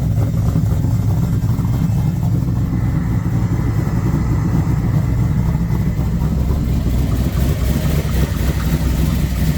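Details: Custom shortened Ford F150 "Mini Moose" build: deep, even engine rumble swelling smoothly on blips with no knocks or misses; healthy.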